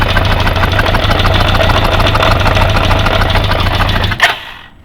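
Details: Kawasaki GPZ550 idling after head gasket replacement, noise started 3 days later; rocker timing set, chain tight so owner doubts cam chain tensioner; fast, fairly regular ticking about three a second over steady idle until shutdown; cause unknown.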